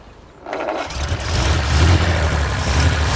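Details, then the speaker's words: 1930s Wolseley Hornet six-cylinder after clearing a blockage from the fuel line: cranks briefly, catches and settles into a firm even low beat; all six cylinders firing, normal idle. "That sounds good. Hey, that's 6 cylinders. It is, isn't it?"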